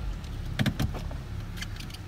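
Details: 2015 Chevrolet Cruze at 31,000 km after fixing a cylinder 4 misfire (P0304): steady, even low idle rumble with no stumble, over a few sharp handling clicks; check engine light now off.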